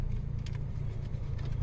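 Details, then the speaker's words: Maruti WagonR K-series AC blower fan: low steady drone with throb, light at speed two, full loud noise at speed four, whole car vibrating; cabin filter already cleaned; blower fan vibration noise. "दो प हल्की आ रही है चार पे full आवाज है ऐसा पूरी गाड़ी वाइब्रेट कर रही है और बहुत भयंकर आवाज आ रही है"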